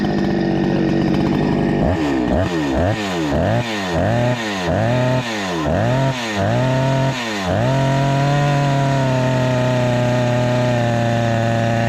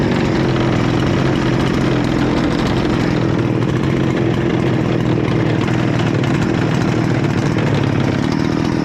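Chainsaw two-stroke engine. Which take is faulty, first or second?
second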